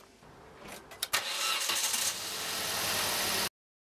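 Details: Petrol Vauxhall/Opel Corsa C after replacing the coilpack, spark plugs and fuel injectors to fix misfires: the engine cranks about a second, catches cleanly and settles into a steady, even idle without stumbling.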